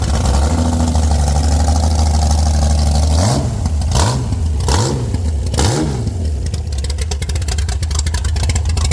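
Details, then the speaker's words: Former world-record Ford 300 inline-six race engine with Pro Stock Boss 302/351C head in a 23 Roadster, alcohol-primed: lumpy loud idle, then three sharp blips climbing and falling back cleanly; strong, crisp, healthy. "Little alcohol primer down the tubes. And hopefully she'll kick right off for us."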